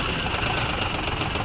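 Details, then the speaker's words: Maruti Suzuki WagonR idling roughly on CNG with misfire and vibration, no check light, fine on petrol: rapid sharp ticking from the engine compartment, traced to a faulty CNG injector. "Engine compartment से एक नॉज आ रही है जो कि टक टक टक की है आपको मालूम पड़ रहा होगा वीडियो में तो पेट्रोल प कोई इशू नहीं है प्रॉब्लम है सीएनजी में"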